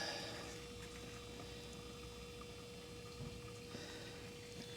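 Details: Jaguar S-Type, fuel pump replacement, Mercedes fuel pump on bench with battery draining gas tank: quiet steady even hum, one pitch, no surging or rattling; normal fuel pump operation.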